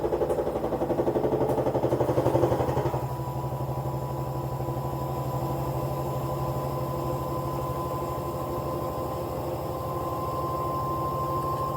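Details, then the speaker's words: Old Kenmore front-load washer in spin, 600 to 900 rpm: steady knock about four per second over motor hum; probable cause bad drum, failed spider arm connection to rear bearing shell, or rear bearing; parts possibly unavailable. "sell probable cause drum or or rear bearing show it appears that washer has a bad drum as suffered from the spider arm and connection to the rear bearing shell"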